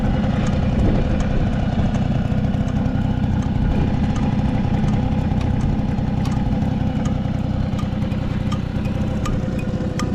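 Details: Vintage Honda 12V Squash (AB11) running a steady, even two-stroke idle with a quick regular beat and no knocks or rattles; the engine sounds healthy and quiet.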